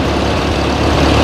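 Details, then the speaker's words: Ford 8N tractor revived after about 8 years abandoned, carburetor still untuned: low, steady, even thump with no skips, revving up slowly and falling back to a healthy idle. "doesn't look like it's skipping or anything and she falls right back down on the idle man I love these things"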